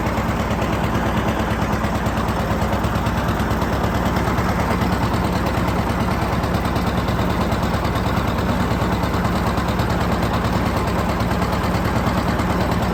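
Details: John Deere 730 two-cylinder tractor pulling a John Deere RWA disk, disking ground for soybeans: steady, even popping at a constant rate under load, no misses or knocks; normal running.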